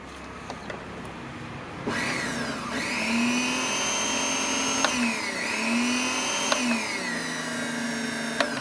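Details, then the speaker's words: Wongdec turbo-power blender after repair of a stiff, seized blade shaft, reassembled: clean motor whine climbing and easing with each pulse, steady, no grinding or rubbing; spinning normally. "โอเคหมุนได้ปกตินะครับยอดเลยนะครับ"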